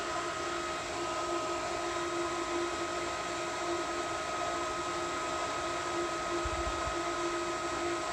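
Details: Pool pump priming at its highest rpm on startup, slowing once it finds water; air whistles from the bleed dial until primed. Steady high-speed hum, constant whine and airy rush; running normally.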